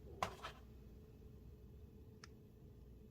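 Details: Brand-new Miyoo Mini Plus and original Miyoo Mini handhelds, mic close to speaker in a quiet room: sharp click at switch-on and a fainter one later; speaker pops on power up and shutdown on every unit.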